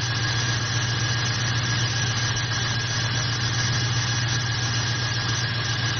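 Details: Jeep with a 4.7 V8 and falling fuel mileage, idling after a spark plug was swapped for a used Bosch Platinum 4: still an uneven, loping misfire with a faint whine. Compression about 75, slightly low; a fuel injector is suspected.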